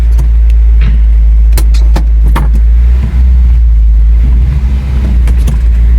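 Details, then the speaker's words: 1977 Honda Civic CVCC wagon, about 62,000 miles, carburetor rebuilt about three months earlier, cold start outdoors: low, steady, slightly raised idle hum with the choke still on, no misses or knocks; fast idle while warming up. "yes choke is still on I'm setting this down for a minute while I park"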